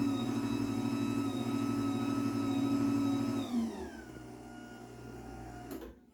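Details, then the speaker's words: Chamberlain B4603T belt-drive garage door opener, about two years old, on an 18x7 CHI 2147 door, running with the door disconnected after lube and tune: steady hum with a high whine that drops and fades as it slows, noisy as the Craftsman it replaced; normal. "yeah so I mean it's pretty noisy it's well it's no quieter than the Craftsman it replaced"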